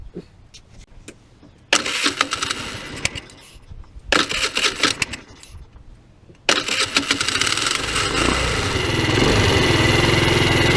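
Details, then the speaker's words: Tao Tao scooter at almost 3,000 km, airbox removed and a high-flow cone filter fitted, crankcase vent left unfiltered: cranks, catches and revs with a hollow, raspy roar like a bad exhaust. This is loud intake noise from the open cone filter. "so I didn't really like the way that sound it it just sounds like it's got a bad exhaust with this thing"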